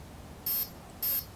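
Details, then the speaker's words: Align T-Rex 500 BEC speed controller readback after re-plugging the battery: two short, high-pitched beeps about half a second apart, confirming medium-speed throttle response. "for medium speed throttle response and that's it pretty simple when you follow the right steps"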